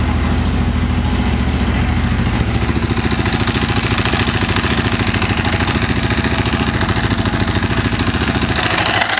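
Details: Husaberg FE650e single-cylinder at fast idle with a rough, uneven clatter on each firing pulse, about three a second; caused by a loose crankshaft gear, fixed by tightening it with Loctite, after which it runs smooth.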